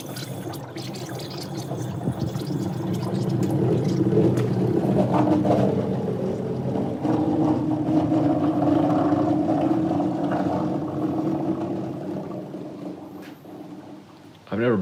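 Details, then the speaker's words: 1969 Volvo 164 running after sitting since 1994, while the lights and wiring are being connected: a watery slosh and gurgle rising and falling, then something splooshed; coolant gurgling, cause unclear. "today i'm working on the electrics i want to get all of my lights and wires connected something splooshed ew"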